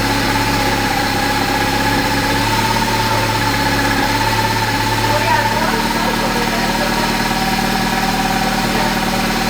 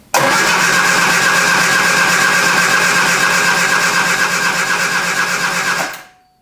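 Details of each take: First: 1973 Triumph Spitfire after sitting three years, first run after reconnecting wires and hoses: steady, even idle with a smooth low hum, no misses or knocks, settling slightly lower midway; runs healthy. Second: 1973 Triumph Spitfire after sitting three years, in neutral: starter spins engine evenly for six seconds but never catches; cranks, no start, thought to lack fuel delivery.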